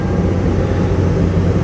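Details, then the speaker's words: Salvage-auction vehicle with sunroof, minor damage, no airbags deployed: engine catches right away and settles into a smooth, even low idle without knocks or misses; starts right up, no check engine light; normal start and idle. "Starts right up. Sounding great."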